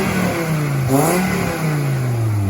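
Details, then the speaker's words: 1996 Volvo 850 2.5 non-turbo, lowered, with newly fabricated exhaust from surplus and scrap parts (previously had none): two throttle blips with smooth, even, deep note, no rasp or leaks; exhaust sounds much better. "Sounds much better."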